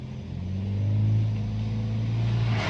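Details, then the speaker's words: Toyota Yaris automatic on a road test after the loose lower-arm bushing bolt that caused front-wheel clacking when moving forward or reversing was fixed: a steady low road rumble as it pulls away and cruises, with no clack or knock; the suspension is quiet. "Kakinya udah enak sekali ini dia kan kemarin benar-benar sumpah Kemarin ndak ndak enak sekali ini untuk kakinya"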